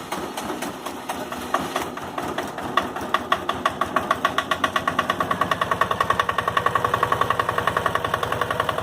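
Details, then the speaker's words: Late 80s/early 90s Yanmar YM122 garden tractor, 12 hp single-cylinder liquid-cooled diesel, just started cold at 70°F: steady idle about 3.5 beats per second with a hard metallic clatter on each beat; normal cold-diesel clatter. "She sure is clattery when it's cold, though. Or when the engine's cold."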